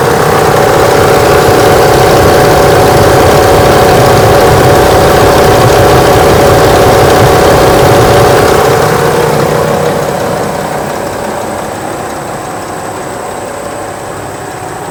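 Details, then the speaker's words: 1998 Ford Expedition 5.4 warm idle after radiator replacement: fast, even rattle about four per second from the front of the engine; owner suspects the water pump, maybe a pulley or tensioner, not the alternator; engine rattle. "i'm gonna let y'all hear it uh making a rattling noise um i don't know what it is i don't know if it's the water pump or not y'all tell me what y'all think"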